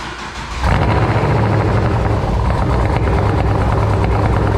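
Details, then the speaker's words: LS V8 with big cam, first start-up after replacing failed aftermarket header gaskets, fuel primed: engine catches and settles into a loud, choppy, loping rumble with no ticking or puffing from headers; exhaust leak fixed, oil pressure mid-gauge. "she's definitely not leaking from the headers anymore i solved that issue damn thing sounds good"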